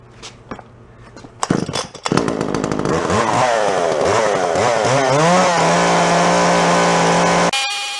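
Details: Yard-sale Jonsered 510 chainsaw, cold start after revival: a few pulls catch, revs up and down, then settles to a steady, even idle; healthy start.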